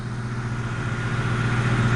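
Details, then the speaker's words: 2003 Ford Mustang GT with code P0340 being diagnosed, at idle: thin constant whine over the engine hum from the alternator, which also shows as ripple in the cam sensor signal. "for some weird reason this alternate is really whining right now"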